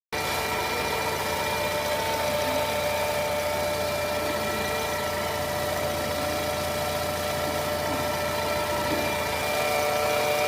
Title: Weird whining sound on low revs and idle. 2014 scirocco 1.4 tsi twincharge. What could it be?